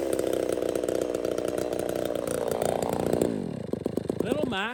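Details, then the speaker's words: Ported chainsaw, tuned so it barely four-strokes: screams at a hard, clean pitch with no burbling, then falls off and chirps as it dies. It runs lean and dislikes being even slightly rich, though it ran all summer without harm. "Little Mac does not at all like to be even the slightest bit rich. It sounds like it's lean, like it will not 4-stroke this saw. I got it 4-stroking just a tad."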